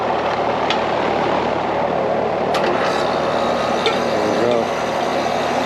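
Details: Carrier AC condensing unit just restarted after compressor replacement, refrigerant being charged through the suction line; steady even hum with constant fan rush, no knocking, rattling or short-cycling; running normally.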